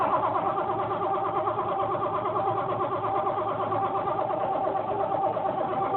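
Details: 1986 Ford Mustang 5.0 five-speed, attempted boost start: steady rhythmic cranking near three turns per second goes on without catching; engine cranks but won't fire.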